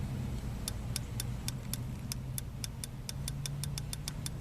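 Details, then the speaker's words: '88 Volvo 760 with B230FT engine and poor, wavering idle: crisp clicks, about eighteen, speeding to roughly six a second, from the throttle position switch idle contact after loosening and adjusting the TPS, the normal, expected click. "hear that hear that clicking that's what it's supposed to do"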